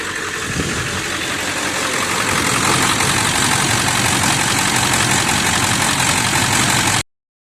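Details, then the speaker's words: 1999 Ford F350 7.3 L turbo diesel, warm idle after 15 minutes running: steady, even clatter, smoother with less smoke; the truck burns oil and is down on power, slow to accelerate though it reaches 55–60 mph; cause unconfirmed. "I should have mentioned earlier that this truck is down on power it will reach highway speeds say 55 60 MPH even faster yet there is a pitiful lack of alacrity she is slow on acceleration"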